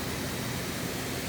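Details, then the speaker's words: Lennox heat pump package unit, indoor blower that had been noisy with no cooling, just fitted with a new blower motor and started: steady, even rush of air with a low hum, no knocking, scraping or squeal; running smoothly. "so she should fire right up there she goes all right it's like that motor all right let's put the covers on it"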